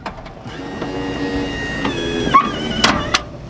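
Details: Kwikee electric step on a 2019 Tiffin Open Road 34PA RV, tested after replacing the motor gear assembly with its stripped gear. A short, smooth, even whir with clicks as the step extends and stops. Normal operation after the repair.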